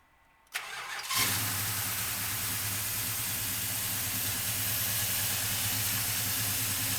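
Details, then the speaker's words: Restored 1968 Dodge Charger with a 440 big-block V8, large cam and a vacuum pump, about 5,000 miles since restoration: starter cranks and catches into a strong, steady burble. Normal start and idle. "That little bit of noise you're hearing is actually a vacuum pump. This engine has got kind of a large cam in it, but it still maintains its power"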